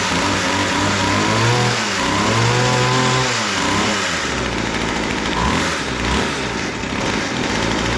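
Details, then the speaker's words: Weedeater two-stroke hedge trimmer after carburetor work with original metering lever refitted, idle raised: revs sag and hunt unevenly, won't hold idle; owner suspects idle mixture too rich and leans it out. "still doesn't seem to want to idle maybe idling too rich I'm going to lean it out a little bit"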